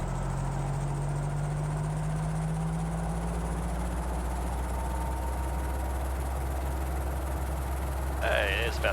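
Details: Guimbal Cabri G2 helicopter, Lycoming four-cylinder piston engine (up to 134 kW), clutch engaged, throttle held at about 2,000 rpm before magneto checks: a steady, smooth, even-pitched drone with no misses or roughness, a normal healthy run-up.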